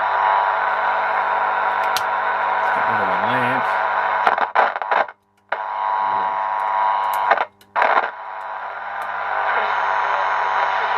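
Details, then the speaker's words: 1948 AWA Radiolagram 800G valve radiogram, first power-up after chassis cleanup, likely first sound in a long time: muffled, thin broadcast with steady low hum and brief dropouts; it works but audio quality is poor. "it's not very good but it does work oh well we're getting something out of it I guess that's better than nothing"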